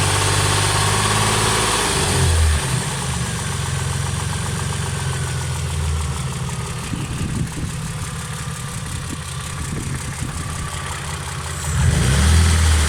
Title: Стучит двигатель стук шатуна? Работа двс